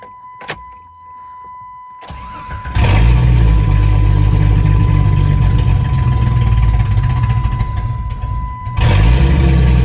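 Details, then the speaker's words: 1996 Jeep Grand Cherokee ZJ after fitting new injectors (plugs and wires done earlier, old injectors looked clogged): idle keeps stumbling and breaking up unevenly; misfire persists. "All right, that did not fix it. Oh, well, looking at the old injectors, I'm going to keep all of them in the package, but a lot of them did look like they had some clogged up ends, but that did not solve my issue. It sounds like it's still breaking up."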